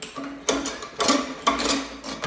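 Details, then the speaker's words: Free Poulan Pro mower with a 149cc Kohler XT675 engine, bad gas and a missing air filter, cord pulled slowly to check for lock-up: sharp clunk about every half second, no firing; a very loose or wrong blade is suspected, with a bad rod questioned. "And so here's something interesting. I went to go pull the cord just to to see if it was locked"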